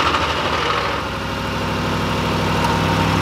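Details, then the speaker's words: 2005 Ford F-150 5.4L Triton V8 at cold startup, before adding Lucas oil stabilizer: loud rattling knock over the rising idle, roughly three beats a second; owner suspects dry start from lack of oil, later fixed by the stabilizer. "right now whenever you started up it has a very loud knocking noise on this machine gun title so let me show you what I mean"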